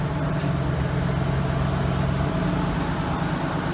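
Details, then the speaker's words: Cadillac Allante woken after a four-to-five-month winter layup: it fires right up into a smooth, even idle with no misfire or smoke; belts are slightly squeaky, and a small oil leak possibly on the belts is suspected. "awakened after a four or five month slumber fired right up little squeaky belts obviously it's been sitting"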